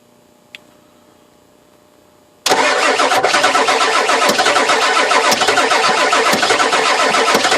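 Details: 1996 Ford 7.3 diesel that will not start, cranked with a little throttle: after a short quiet spell the starter turns the engine over steadily at about three compression beats a second, but it never catches.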